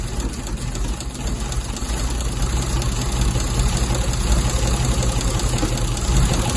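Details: MGC 3.0 straight six, first run in about 33 years, carbs rebuilt, no coolant in it, oil reaching the rocker tops: low, steady idle with a soft, even beat and nothing knocking or rattling on top; running cleanly.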